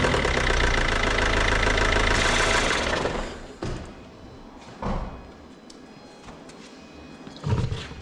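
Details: Mini Cooper D diesel, bought cheap as non-runner, started on jump pack: rough, rattly rev for a few seconds with hard knock, then loose idle; suspected internal engine knock, unconfirmed.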